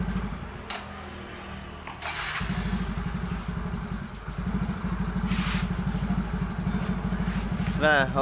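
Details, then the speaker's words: Yamaha Mio J scooter (Mio GT/Fino/X-Ride 115cc family) after injector cleaning for hesitation and stalling when throttled: starts instantly, idles steadily and revs cleanly and quickly with no stumbling, running smoothly. "Oke teman-teman, kalian bisa dengar bagaimana suara mesin dan bagaimana performanya saat digas. Jadi semuanya berjalan lancar, sangat lancar. Mesinnya langsung menyala dan merespons dengan cepat saat digas."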